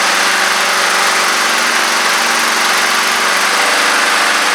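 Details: Honda Harmony II push mower (HRS216 or HRR216), run after its leaking carburetor bowl was tightened: loud steady drone at constant speed, no surging, sputtering or knocking; normal running.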